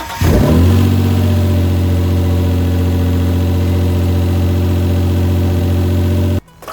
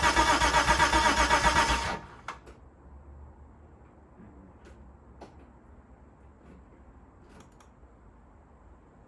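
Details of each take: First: Mitsubishi GTO twin-turbo with self-rebuilt engine, run briefly without coolant and with no exhaust fitted: starts quickly, settles into a loud, steady, even idle with no knocks or misses; healthy engine. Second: Rebuilt Mitsubishi GTO twin-turbo engine, first start attempt in 3 years, tank just filled, fuel pump not heard priming: about two seconds of even cranking, roughly four pulses a second, then silence with no firing; no fuel delivery.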